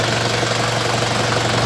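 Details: Isuzu Panther 2500 cc diesel idling after the owner redid its settings, before revving to max rpm: steady, even idle with a constant low hum and no knocks or stumbles; sounds healthy.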